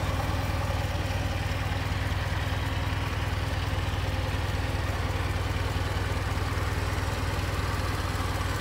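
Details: 1920 Ford Model T barn find, reassembled after freeing stuck valves: steady low chuffing idle at about two beats a second, even and unbroken with no knock or miss; normal idle, timing noted slightly off.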